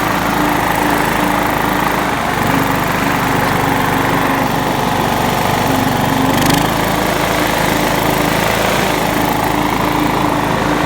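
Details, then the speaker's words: John Deere LX172 lawn tractor single-cylinder engine holding a steady, even idle with constant hum and no misses, after the carburetor fuel solenoid was hot-wired to the battery with an alligator clip; it started right up and runs normally. "Well, I hot wired the solenoid. It started right up. That's pretty good, huh?"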